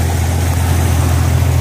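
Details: Jeep Cherokee XJ on 36-inch tires, just started after fitting a 135 A alternator from a 98 Grand Cherokee 5.2 V8: deep, steady idle hum with an even beat, no knocks or squeals; idling smoothly.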